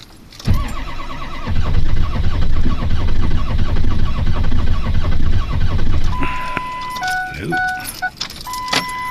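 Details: 2003 Ford F350 6.0 diesel at 6 degrees, not plugged in, glow plugs cycled twice; slow, labored cranking about six seconds, no catch, then warning chimes; cold crank no start, owner suspects glow plugs not heating enough.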